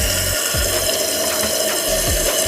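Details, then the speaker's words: Toilet tank after fitting a new Fluidmaster PerforMAX 400CARP fill valve and flapper to fix a running toilet: a steady rushing hiss with a faint whistle as the tank fills evenly toward the old water line; the fill valve works normally. "can see where the old water line was, so that's where it's supposed to fill up to. Hopefully it does."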